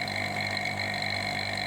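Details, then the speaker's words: Refrigerator repair vacuum process: pump sound now lower in decibels and less harsh than at start, a steady even hum with no harsh gurgle, indicating deep vacuum reached. "Nah, suaranya berbeda. suaranya sudah rendah, sudah tidak begitu kasar. Rendah itu maksudnya rendah desibelitasnya ya, kebisingannya ya."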